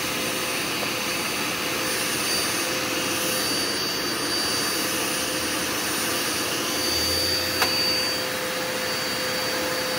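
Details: Curbside-found Dirt Devil Endura Max UD70175 vacuum after brush roll and belt refitted: steady high rushing whir with an even airflow roar, no rattles or pitch drops; motor runs normally.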